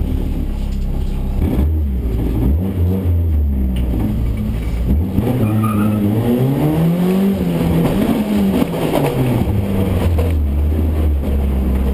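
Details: Car under way with a hum that rises and falls with road speed, heaviest at low pitch; manual gearbox damage.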